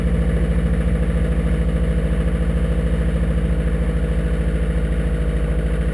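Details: 2002 Subaru WRX with 2.6L STi hybrid engine, forged internals, cold start on a morning around high 30s–40s °F: cold idle with steady, very regular hollow knock a bit over two per second over the engine note; piston slap.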